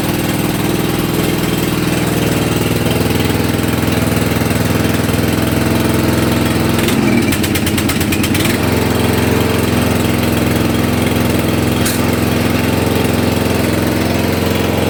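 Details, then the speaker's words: Hayter Heritage tractor mower single-cylinder petrol engine, first start after eight years stored, on choke: fires immediately, steady even beat with a brief clatter midway; runs well but wouldn't shut off on the key. "all right so that was a bit weird so fire straight up fantastic wouldn't turn off on the key"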